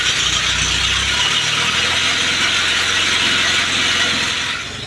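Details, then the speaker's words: 1948 Willys pickup engine, body off, in neutral, first start on a power jumper with old plugs, wires, points and coil. A harsh ratcheting grind of about four clicks a second sounds over the engine: the starter was missing its spring and stayed partially engaged. It went quiet once backed off. "And then when we first started it, we had a noise, but we didn't have the spring on the starter, and it was partially engaged."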